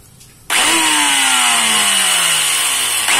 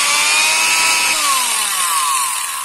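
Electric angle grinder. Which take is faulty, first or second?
first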